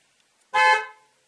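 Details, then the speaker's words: 2016 Ford F-150 EcoBoost, horn triggered as an active test from a Launch X431 scan tool in a closed garage: single short horn blast, clean and steady in pitch; horn circuit working. "Well, I'm going to honk the horn. Okay, I'm going to hit honk. And I think you heard that."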